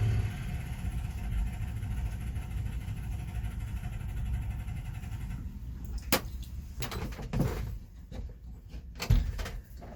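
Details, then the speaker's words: 1965 Chevy pickup carbureted engine after sitting a week, started after newly added electric fuel pump filled the float bowl: steady, even low rumble with no misses or knocks, then shuts off; idles cleanly. "fired right up fired right up just the way it's supposed to"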